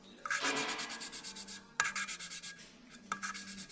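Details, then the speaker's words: Lapping a valve on a Golf V R32 cylinder head: dry, gritty rasping scrape in short back-and-forth bursts, the paste still cutting the seat; the aim is for it to scratch from start to finish, and the sound changes once lapped. "On entend, ça gratte. Et en fait, le but, c'est que ça gratte vraiment du début jusqu'à la fin."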